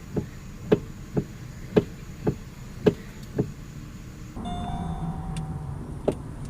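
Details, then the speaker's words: 2006 Pontiac G6 with electric power steering: loud hollow popping and knocking about once a second when the wheel is barely turned, from a worn intermediate steering shaft; replacing the shaft fixed it (one shop had blamed control arms). "we had a problem earlier when we just barely turned our wheel there is a loud popping and knocking sound kind of like these examples"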